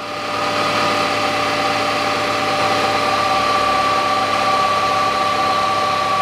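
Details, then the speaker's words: 2009 Nissan Qashqai 2.0 4WD CVT, during filter and fluid change: steady high whine over even idle when cold, disappears once warm; cause unknown. "какой-то вот Звук есть в вариаторе на холодную Если вы слышите такой вот потом он проходит"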